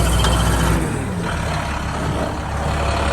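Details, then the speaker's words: 2014 International 4300 Durastar diesel service truck running its hydraulic CAS 40P air compressor, switched on by wireless remote: steady deep drone with a hiss at the start, then an even low hum; the compressor functions normally. "Robert, I think, just turned on our air compressor. That does function as it should via wireless remote."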